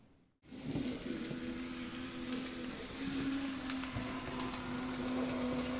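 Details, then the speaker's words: PIKO BR62 model locomotive with lacking lubrication in its motor-gearbox unit gives a thin steady hum with a faint buzzy rattle; the noise probably comes from the motor, and it seems to run slightly smoother after servicing. "so FZE der ganzen Geschichte ist dass die Geräuschkulisse von dem Motor wirklich wahrscheinlich kommt sie läuft jetzt ein bisschen geschmeidiger zumindestens bilildde ich mir das ein"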